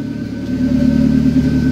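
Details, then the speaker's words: 1997 Honda Civic EK hatch, turbo B18B1 swap with built bottom end, after fixing its idle air control valve issues; steady, smooth idle with slight swell in level, no hunting or stalling; normal idle. "See if it idles. Yes! There it goes. There it is. That's awesome."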